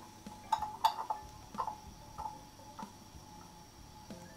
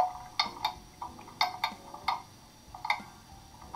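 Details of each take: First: Beat amplifier on German mantle clock after crutch and pallet adjustment (had stopped after running down while owners away), movement wound, pendulum bob refitted: crisp ticks about ninety-five a minute, clear over quiet room, clock running normally. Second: German mantle clock that stopped after running down, catching at the top during crutch and pallet adjustment: uneven tick-tock, two sharp ticks then a gap; escapement beat not yet even.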